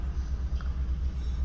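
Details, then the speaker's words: 2015 Kia Cerato shaking constantly at idle before diagnosis: low rumble with an uneven pulsing beat, a few dips every second; scan tool later shows cylinder 4 misfire. "السياره هذه فيها هزه على طول هزه موجوده فيها"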